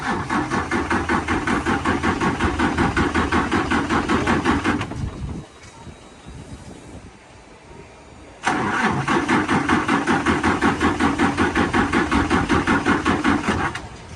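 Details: Truck or excavator left sitting for months (parked through a storm) cranked: starter churns in weak steady pulses without catching; suspected loose terminals or low battery, battery later replaced, water suspected in fuel. Crank, no start.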